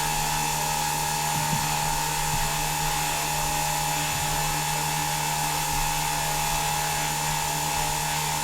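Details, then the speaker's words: KDE5215XF-435kv motor with propeller on a VESC6 MK5 being tuned toward maximum power, at around 1080 watts: loud, steady high whir at constant pitch with a clean tone, no grinding or wobble; running smoothly at full power. "We are at around 1080 watts, and really that sounds so much lower."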